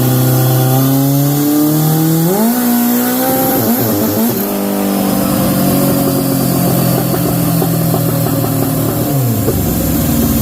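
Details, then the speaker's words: Turbocharged Honda CB750 on the dyno at full boost: pulls hard, then revs suddenly flare without load and settle into a drone, with a sound from the blowoff. The clutch let go, and it may need more warm-up. Clutch slip. "clutch just let go yeah the clutch totally unloaded it was making a goab boo Bo"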